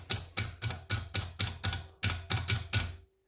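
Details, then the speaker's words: 1973 Scamp light switch working again after carpet jammed in it was cleared; it still needs some WD lubricant. Crisp, regular clicks about four a second, snapping over freely. Normal switch operation. "And it's just come up. You can hear it clicking. There you go. All because the carpet was jammed up in there."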